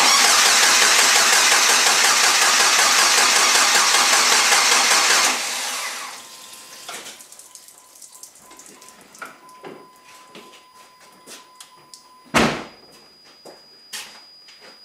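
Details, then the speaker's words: Cranking with harsh, loud sputter for about five seconds, then near silence as the engine dies; first start of a rebuilt 500hp SRT-4 (built bottom end and head, AGP Zeta 2.8 turbo) after adding oil and coolant, fails because the fuel feed line to the regulator was disconnected. "that can't be good spitting out something wow the fuel feed line to the regulator it's not even connected"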